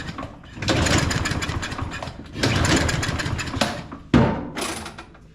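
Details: Craftsman M230 push mower, hard to start and smoking, after blowing debris out of the air intake: three recoil pulls spin the engine without it ever firing; cranks but won't start, suspected flooded or stale fuel, not confirmed.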